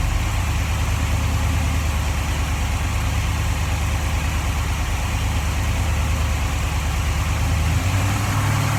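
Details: 1947 Ford Tudor street rod, carbureted V8 with Holley carb: after adjusting the carb base screws, deep steady idle with a slight rise in revs near the end, no whistle or hiss; runs smoothly but idles high.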